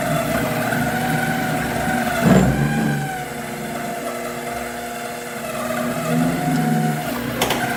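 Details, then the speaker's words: 7x14 two-speed mini lathe under cut; motor whine wanders up and down in pitch with rough gear chatter and knocks; worn gears and unstable motor speed, motor lacking power. "So the chatter you hear is the gears, and the speed going up and down is the piece of junk"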